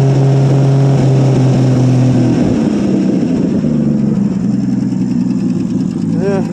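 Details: 1959 Ford F250 223 (possibly 262) straight-six, cold start after 3–4 years sitting, throttle feathered: catches cleanly and settles into a steady low idle with a couple of easy blips, sounding healthy.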